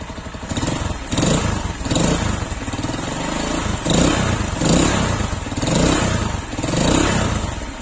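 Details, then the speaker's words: Zanella ZR 150 single-cylinder fitted with Honda XR150 muffler and new header replacing rusted, cracked original: short revs about once a second with muffled, even exhaust note, no rattle or popping; noticeably quieter. "porque este silenciador de la XR150 realmente sí funciona, tiene mucha más aislación interna para que baje mucho más los decibeles que genera el motor."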